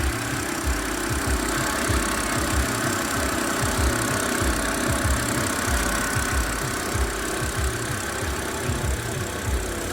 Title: What is that low growling/whirring noise on my 2008 BMW 328i?